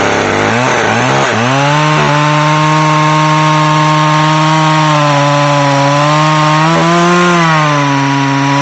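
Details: McCulloch Pro Mac 610 chainsaw on test cuts after clutch inspection and chain sharpening; strong steady high two-stroke howl holding pitch in the wood, dipping slightly and recovering cleanly; running great.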